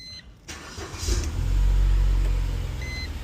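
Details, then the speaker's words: 2005 Mercedes A170 after repairing crankshaft position sensor wiring (no-signal code, crank-no-start): quick crank catches at once and settles to a steady, even low idle with a short chime; codes cleared, no check engine light. "You can see the vehicle is running. No code start, no check engine light on. Job completed."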